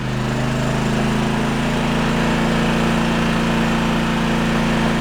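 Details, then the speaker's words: Firman 3200W inverter generator (model WH03242), under a year old, after cleaning a heavily clogged spark arrestor: steady, even drone holding speed without hunting under high and low load, eco mode on and off; now outputs power normally. "We tested, we made sure that we got power under load 2 with eco mode on and off."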